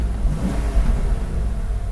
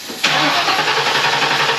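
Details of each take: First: 1994 Ford Mustang GT V8, unstarted for six years, after fuel pump replacement: deep, even rumble holding a steady idle with no misses, knocks or ticking; the engine runs fine. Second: 1994 Ford Mustang GT, not started in six years, suspected bad gas: sudden loud burst of engine noise when starter fluid is sprayed into the throttle body while cranking; runs only on fluid, so fuel pump is bad.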